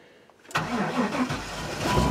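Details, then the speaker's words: 1998 Chevy 5.7 after fuel pump replacement, cold start at about 17–18°: short crank, catches right away and settles into a steady idle; the earlier long-crank cold no-start was a stuck check valve in the fuel pump. "wow that's a big difference all right a stuck go from check valve in the fuel pump that's all it was"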